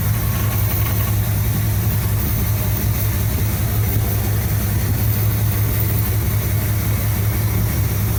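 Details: 1975 Cadillac Fleetwood V8 started after replacing valve cover gaskets, checking oil reaches the top end: deep, steady rumble with an even beat, no misses, knocks or hiss; idles smoothly and healthily.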